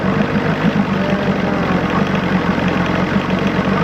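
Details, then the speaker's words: 1986 Johnson 90hp SPL outboard, carb restored to original, idle set after link-and-sync and ignition timing, running with the impeller in a water tub. Low, fairly even idle pulse, smoothing out. Owner thinks it needs a new fuel pump. "you can hear it starting to smooth out some. And we got the idle just set just right."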